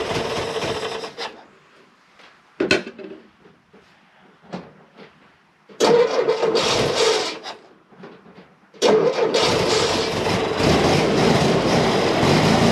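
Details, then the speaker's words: M151 jeep small petrol engine after carburetor fix, started on about three-quarter choke: starts in fits with brief gaps, then settles into a fairly steady idle, still not idling quite right. "so hmm that sounds a whole lot better"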